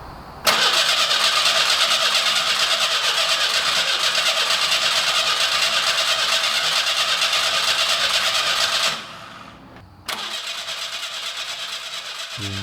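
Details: 1985 Pontiac Fiero 2M4, sat 20 years, first start after engine reinstalled and new gas tank fitted: starter churns evenly about three turns a second, stops, cranks again, never fires; fuel and valves seem fine, distributor timing suspected.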